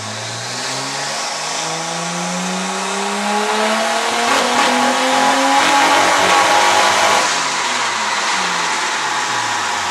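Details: Nissan R33 petrol engine revving up and down with an uneven, stumbling pulse: misfire caused by incorrect NGK PFRG5-11 platinum spark plugs; solved by fitting the specified NGK Iridium IX BKR6EIX-11 plugs.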